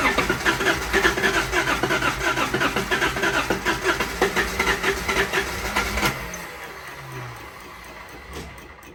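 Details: First run after rebuilding Solex Mikuni Type R carburetors, untuned, carbs left as when removed: quick, fairly even pulse around two beats per second, then settling lower; normal idle.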